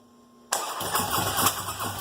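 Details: Engine cranks with a steady, even starter churn and cylinder pulses but never catches or fires; crank-no-start, cause still unknown.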